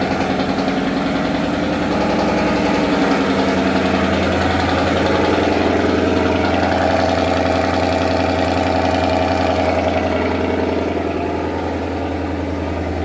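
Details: Datsun 240Z with Coyote V8 swap, first running after 1 year 8 months of work: steady, even V8 idle with deep exhaust rumble, no misses or knocks over thirteen seconds; healthy, smooth-running engine.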